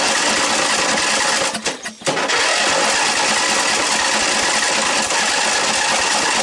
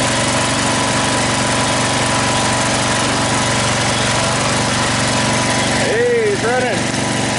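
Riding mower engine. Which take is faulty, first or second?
first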